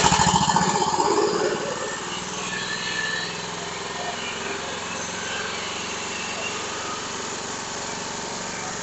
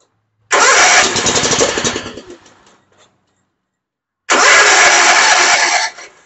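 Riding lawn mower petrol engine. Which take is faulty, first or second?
second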